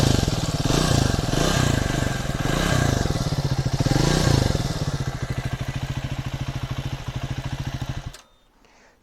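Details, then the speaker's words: Triumph Speed 400 after shim adjustment fixing tappet noise, tested 200–250 km: even single-cylinder thump about three to four beats a second, no top-end ticking, then shut off; normal idle. "अब मेरी bike में कोई भी नॉज नहीं है"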